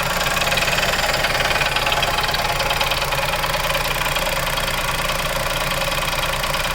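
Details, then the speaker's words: Chevrolet Onix Plus LT manual, new, idling after two days parked, heard from the engine bay with brake pedal pressed: light even tapping about three times a second; inaudible from inside the cabin, source unclear. "e agora então barulho mesmo diferente aí ó ó a tampa batendo alguma coisa é é eu nunca tinha reparado nosso dentro do carro não dá para escutar mas agora eu tô escutando sim"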